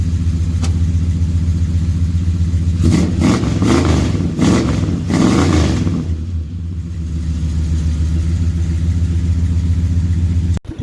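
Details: Dodge 400 big-block V8, just finished. A deep, steady burble with a couple of throttle blips and even firing, no knocks or ticks. Normal running.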